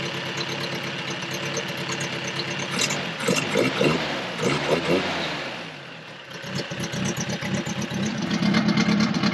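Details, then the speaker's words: 1979 Toyota first-gen 4x4 pickup, built motor with low-compression pistons and cam, sat about two years, first start with no exhaust fitted: uneven, loping idle with loud raw exhaust pulses and surging rhythm from the cam and open exhaust. "guys can hear that this thing doesn't run quite like a normal one would um but a few years ago me and skyler my buddy that owned this before we did a lot of work on the motor it's got a cam in it also no exhaust you can probably hear that for sure"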